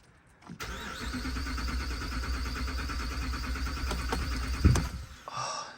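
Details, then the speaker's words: 2014 Ram 1500 5.7 Hemi cranking in clear-flood mode after replacing cylinder 6 MDS solenoid for P1416/P0306 misfire; steady, even starter rhythm for about four seconds without firing, sounds healthy. "it sounds like such a healthy crank the status is finally inactive and we're getting a pulse with for Cylinder 6 it doesn't seem like it's misfiring either oh sounds good"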